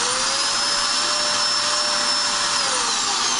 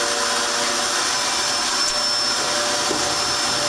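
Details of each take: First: Dirt Devil Extreme Quick Vac, basement spare vacuum, running but not picking up: motor spins up to a steady high whine with strong airflow hiss but no brush slapping; broken brushroll drive belt, brush spinning freely. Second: Dirt Devil Extreme Quick Vac after brushroll belt replacement (style 15 belt): constant high-pitched motor whine with airflow rush, holding pitch without bogging or slipping; new belt spinning the brush, running normally.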